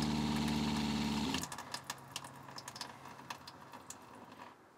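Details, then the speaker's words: Winnebago Revel RV fresh-water pump after an accumulator tank was installed, faucet slightly open: steady, even motor hum with no chatter or surging, running continuously for a while, then shutting off cleanly. Healthy pump. "now the pump is turning on and it's turning on continuously for a while"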